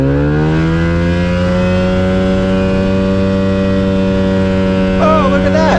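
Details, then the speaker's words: Avid Flyer with Rotax 670 two-stroke, taxi test four, air filter removed: steady high drone climbs slightly, then holds even with no misses. Earlier problem is gone, supporting the owner's dirty air filter diagnosis; running clean. "a happily running little airplane um you could hear a juice up and wanting to go um that was great that's what we wanted to hear"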